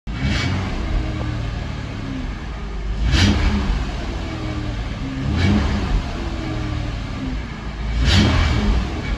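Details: 2009 Acura MDX: low engine drone with a rough, buzzy rattle that swells in waves at low speed around 1500–2000 rpm.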